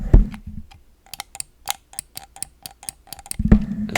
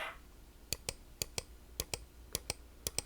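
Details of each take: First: 25-year-old Microsoft Mouse 2.0 button: about a dozen sharp clicks each with a dry creaky edge, almost like multiple clicks per press, instead of a clean snap; worn, creaking button. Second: New old stock Microsoft Mouse 2.0 replacing a 25-year-old one: five crisp press-and-release click pairs, each sharp and single with no chatter or double bounce; button switch working properly.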